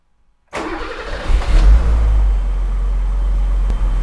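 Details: 1982 BMW E24 635 CSI, M30 3.5 L inline six, manual, restoration: silence, then a quick crank; engine catches at once, swells briefly and settles into a smooth, even idle with near-immediate oil pressure: a healthy start.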